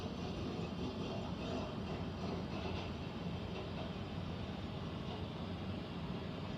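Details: Central air conditioner air handler, heard in a bedroom and seeming to come from above the closet, gives a constant low rumble and roar with a faint hum underneath, no rhythm; abnormal rumbling, cause unknown, possible leak questioned.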